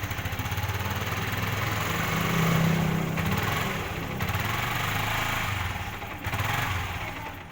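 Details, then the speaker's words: Yamaha R15 motorcycle stumbling as throttle is opened slightly, chugging unevenly and nearly dying, hard to ride; malfunction indicator light came on, cause not yet found. "itulah masalahnya, teman-teman. Sulit untuk dikendarai."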